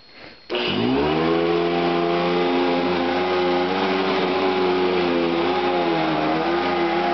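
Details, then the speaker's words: Vintage Eureka upright vacuum with beater bar, round belt: motor whines up then settles into slightly rough, wavering hum; noisy motor, owner suspects worn motor bearings or dirt in fan, unconfirmed. "that sounds like the motor bearings might be a little bit worn out but could be just dirt in a fan too"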